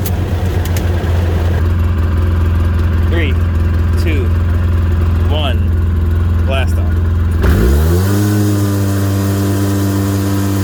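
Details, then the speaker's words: 2008 Polaris RZR 800 after fuel pump assembly replacement that fixed bogging from a stop: steady even idle then a clean quick rev without bogging, settling smoothly; engine running healthy. "so fogging fixed idle seems better fuel gauge is no longer blinking it is accurate"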